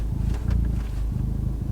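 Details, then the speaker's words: Revo Stage 4 Ford Fiesta ST, about 330-350 hp, with TTV Racing clutch and flywheel package; steady low idle rumble with slight change in engine note as the clutch pedal is pressed, normal. "you'll probably hear an audible change in the um, revs just ever so slightly."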